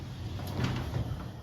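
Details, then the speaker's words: Garage door opening and closing with a low steady rumble and faint rolling, no squeal or grinding; much quieter than before after greasing hinges, spring and motor pulley with white lithium grease and cleaning the rails. "using actually is spread out so this is much quieter this is how quiet my door is now compared to before uh check this out"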